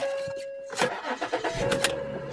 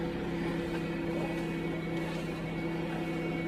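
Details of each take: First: Salvage-auction SEL with 197,000 miles and left-front damage. A quick crank catches at once and settles into a steady, even run with no misses or knocks; normal start. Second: 2008 car with the 3.8 engine at a salvage auction; it runs really rough and is suspected of a rod knock. A constant droning whine rides above the steady idle without changing; power steering pump whine, car seems beat on.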